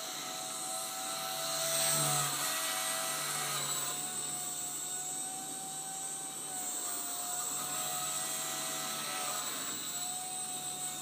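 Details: Blade 130X RC helicopter: thin high tone rising and falling with main motor speed over a buzzy whir; strange noise depending on main motor speed, cause unknown.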